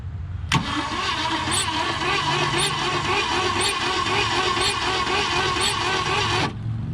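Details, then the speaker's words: 1966 Ford Galaxie 4-door junkyard car whose engine was stuck, freed by the starter, with WD-40 sprayed into the cylinders: starter cranks evenly at about four compression pulses a second, turning freely without binding or clunks. Normal cranking. "Oh, starter's making noises, but our engine's not turning over."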